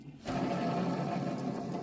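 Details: Wood-Mizer sawmill roller bearing spun by hand: rough, gritty whir that stops quickly instead of spinning free like the good one. The bearing is worn and will be replaced along with the failing shaft bearings.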